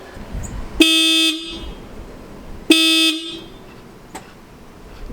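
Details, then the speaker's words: 2013 VW Jetta TDI after installing Hella horns replacing failed OEM horns, one side connected: two loud half-second blasts, bright steady clean tone with quick cutoff; horn working normally, much louder than stock. "my gosh that's a lot louder that's just one side that's a lot louder than the other"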